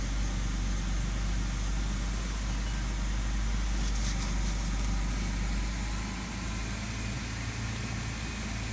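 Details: 2006 BMW 530i inline-six at idle after the fifth ignition coil was replaced for a P0305 cylinder-5 misfire code: a steady, even low hum with no stumble or shake, so it now idles smoothly on all cylinders.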